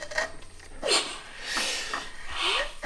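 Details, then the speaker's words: 1982 Honda ATC250R, 250cc two-stroke, long stored outside and seized: piston rocked back and forth gently by breaker bar, slow irregular gritty scraping crunches about once a second grinding through the rust ridge, seeming to gain ground. "It's working through that rust ridge. I'm just going back and forth really gently. That was a good one. Feels like you're gaining on it."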